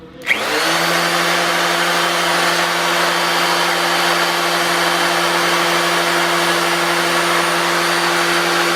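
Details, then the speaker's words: 350 Chevy with Vortec heads and flat tappet cam, priming oil pump with a drill before first start: steady even drill whine at one pitch, no strain; after 2 minutes oil at every rocker, 50 psi pressure; priming normally. "Okay guys, there's 2 minutes, and we've got oil at every single rocker coming up. We got 50 pounds of pressure."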